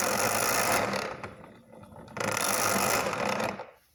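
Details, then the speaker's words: 1920s Luther household hand-crank tool grinder with excessive shaft play; two harsh grinding bursts as the crank turns. The wheel slides and grinds internally and into its own tool rest. "This one has an issue with excessive play in the shafts. It makes this hellacious sound when you crank it."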